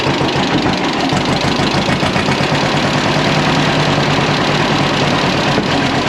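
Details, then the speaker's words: John Deere Model A antique two-cylinder tractor, hand-started by the flywheel with compression release and choke, idling after a valve (tappet) clearance adjustment: a slow, even pop-pop beat with no misses or clatter; it runs healthy. "we got our valve adjustment made and started the tractor up, and you got to hear it run there. Sounded really good after making this valve clearance adjustment and or tappet adjustment, however you want to say it."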